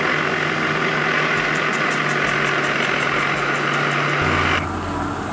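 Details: 1920s Black & Decker Super Service valve refacer (serial A108), running on homemade round belts on concave pulleys, 110 V: steady motor hum with light even flutter from the belt drive, no slap, squeal or catching; normal running.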